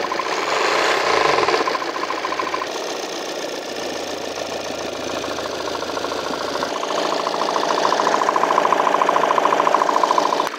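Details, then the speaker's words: 2018 Volvo XC90 diesel, 137,292 km, engine mounts removed: light, fairly even metallic rattle-knock at idle sharpening on small throttle blips, located low at the crankshaft damper pulley, not the timing belt. "일단은 지금 현재 소리는 위치는 아래쪽이 거의 정확한데 타이밍 벨트나 그쪽이 아니라 덴버플이 아래"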